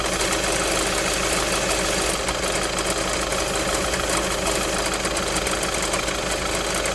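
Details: Idle clatter from a VW 1.6 TDI (Touran/Golf/Polo) diesel with an uneven, gritty rattle running underneath, from a worn accessory belt tensioner pulley.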